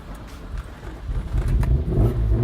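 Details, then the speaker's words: Mark 1 Mazda MX-5 with a 3.0-litre V6 swapped in from a Jaguar S-Type, first start-up: engine catches and climbs into a clean rising rev, smooth and even with no knocks or misses; healthy. "oh my god that sounds good"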